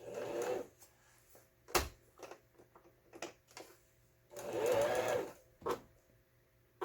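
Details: Repaired 15-year-old Janome-built household sewing machine (broken hook and faulty pattern dial fixed): two short runs of even, steady stitching with a light rhythmic whir and small handling clicks; sews normally.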